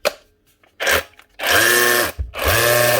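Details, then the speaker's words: A tool's motor runs way too fast, in short bursts of high screaming whine at no load, possibly dangerous and able to break the motor. Judged not worth fixing, as the whole motor would need replacing; overspeed cause unconfirmed. "It's actually running that fast, probably a bit dangerous. That could break something in the motor when it's running that speed."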